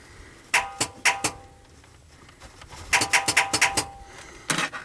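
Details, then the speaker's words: 2002 Chevy no-start with a used replacement starter and replaced key switch: jumping the starter wire to battery positive gives sharp metallic solenoid clicks, single then a quick run of about six, but no cranking. "so the solenoid engages huh"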